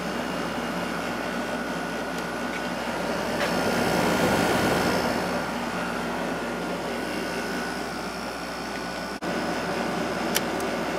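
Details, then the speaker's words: Emerson Quiet Kool window air conditioner after replacing its fan motor with a GE motor from a Kenmore unit, running a few minutes: steady, even compressor hum, quiet fan, blowing cold air, no rattle, scrape or squeal; running normally. "compressor sounds great it's blowing nice cold air and the fan is quiet so I'm finally happy with the way this uh unit is"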